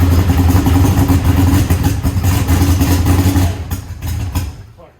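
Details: Eagle Talon engine just converted from Pro EFI to Holley and rewired: catches and runs lumpy with a ragged stumbling beat before dying, seemingly running on one side only and throwing fuel out of that side; cause not yet found.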